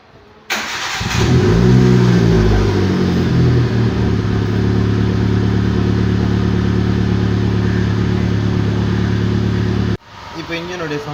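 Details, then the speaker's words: Hyundai i10 Era after welding the silencer tube and refitting the muffler that had been hanging loose: quick start, smooth even idle with a low soft exhaust note, no rasping or blowing; loud exhaust sound now reduced. "Sound பாருங்கள், silencer மட்டும் fix பண்ணியாச்சு. சரிங்களா, இப்போ sound அப்படியே குறைஞ்சி போச்சு."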